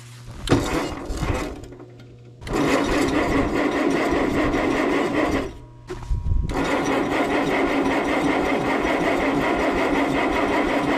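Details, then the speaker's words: 1957 Allis Chalmers IB tractor left sitting a couple of years in snow, with no fuel added yet and a block heater used. Uneven starter whirring in bursts with pauses, never catching. A bad solenoid was found afterwards. Cranks but won't start. "turns out a bad solenoid can give you a bad day so let's see if i'll fix this issue"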